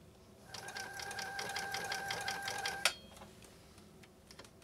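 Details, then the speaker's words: Repaired 1980s New Home SL2022 all-mechanical sewing machine with a 1.0 amp motor, sewing six layers of commercial-grade canvas: a quick, even rattle for about two seconds without slowing, then a clack as it stops. Normal sewing through heavy fabric. "again we just went through six layers of commercial grade canvas i know a lot of machines that would not be able to do this so off especially with this level of ease"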